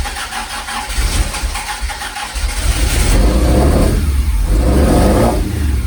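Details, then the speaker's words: Ford prototype Corsair with fuel-injected Essex V4 and Capri 5-speed, first start in 1.5 years on a freezing cold day: catches to a rough, uneven idle with occasional stumble, slight cold misfire. "got a little bit of a mire it is freezing cold"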